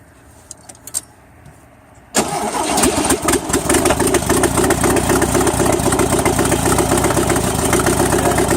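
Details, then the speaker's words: Engine catches and settles into uneven idle about four beats a second with random skipped beats and stumbles, plugs missing sparks; ignition misfire, condenser suspected, not confirmed. "okay answer me this why is it skipping it's not firing all the time it's like skip some"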